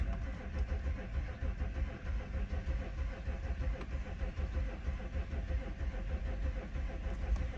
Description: Cold start in my '07 A6 c6 3.0 TDI allroad quattro tiptronic, with a compression problem on cylinders 5 & 6.